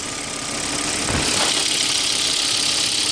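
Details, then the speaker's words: 2002 Volvo S60 2.4T five-cylinder turbo engine just after a spark plug change. It starts and settles into a steady, even idle with a light turbo hiss and no knocks or misses. "sounds like the turbo is working so the engine starts so that's a good sign"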